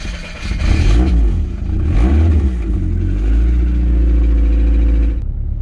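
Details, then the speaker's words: Rover after replacing very old, stuck spark plugs: two clean rev blips then a steady, even idle with no stumbling or hunting, sounding a lot better than before the plug change. "That sounds a bit better to me. That's better. That's a lot better."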